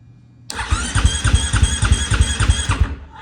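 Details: 2020 Husqvarna FC450 after in-tank fuel pump replacement, cranking with tank opened to check relief valve: starter spins the single at steady three-and-a-half compression pulses a second, even and unbroken; normal cranking.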